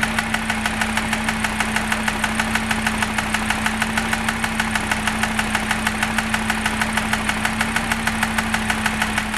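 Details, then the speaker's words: Cheap used Audi RS Q3 at idle, noise worsening as it runs and on revving, located with a stethoscope over the hydraulic lifters on the cams, not from the timing chain; sharp even ticking about 1.5 per second. Ticking at idle, cause unconfirmed. "so to me it sounds like it's coming more pronounced from this area [Applause] here it doesn't sound timing chain I can't hear anything here no it's definitely coming from here"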